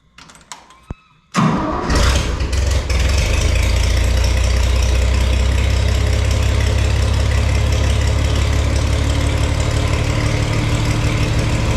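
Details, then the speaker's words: Farmall 460 tractor after an electronic ignition upgrade, run to charge the battery: short crank, quick catch, then a deep, even idle that holds steady without misses; starts and runs fine. "Get it out of here. We're going to run it for a little bit. That way hopefully it charges the battery and that way I can make sure everything's good to go too."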